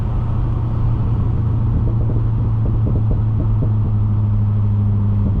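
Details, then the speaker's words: 400+ hp C6 Corvette V8, manual, driving after harmonic balancer, crankshaft bolt and crankshaft seal replacement: deep even rumble with no knocks, ticks or whines; engine healthy, though the clutch pedal squeaks. "but uh the car is running good. I've been driving it a lot the last couple days, and so far I have no complaints."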